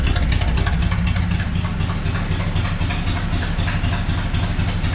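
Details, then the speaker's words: 1984 Chevrolet K20 three-quarter-ton 4WD squarebody farm truck with a V8 on straight pipes, first start after sitting for years: loud, raw, deep burble at idle, loping about four pulses a second, with no muffler; clutch reportedly smoked. "chevy's just that easy just have glass backs or straight pipe definitely straight by it"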